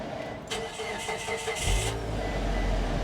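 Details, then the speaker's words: Convertible at an IAAI Oklahoma City salvage yard, all damage at the rear: brief starter crank, engine catches cleanly and settles to a steady idle with a notable exhaust note; healthy start. "oh listen to that can you hear the exhaust oh my yes oh i like this"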